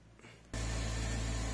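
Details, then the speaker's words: Porsche 987 Boxster after replacing the faulty clutch pedal switch, whose missing signal to the engine computer caused an intermittent no-start needing four or five clutch presses: a short crank, then it starts first time and settles into a strong, steady run. "before i was ready i had to press the clutch probably four or five times before i can get the card to start and now first time start straight away"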